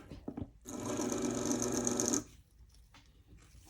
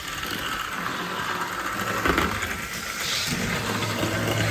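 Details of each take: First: Athearn Band-Drive F7 model locomotive motor spun on its own in forward: short burst of harsh, buzzy whine with a rattly edge, running rough and noisy after the wheels seemed to short out. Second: Athearn Band-Drive F7 model locomotive running laps, rubber band driving the axle, power from front truck only: faint, even high whir with soft track rumble, no catching or grinding; surprisingly smooth.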